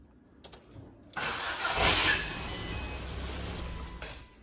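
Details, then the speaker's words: Ford Fiesta Titanium 1.4 salvage rebuild, starting: sharp high scratching screech for about a second while cranking, then engine catches; starter motor screech on cranking, starter starting to fail. "did you hear that it's like a screeching scratching well those that you know those of you know in the know that is the starter motor"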